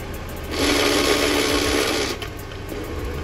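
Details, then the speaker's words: FJ Cruiser with transmission just reinstalled, engine idling. A harsh rasping grind lasts about 1.5 seconds as the clutch is let out slowly in reverse. All forward gears work; the owner plans to rebuild or replace the transmission. "but check this out as soon as i put it in reverse slowly let go of the clutch hear that grinding noise"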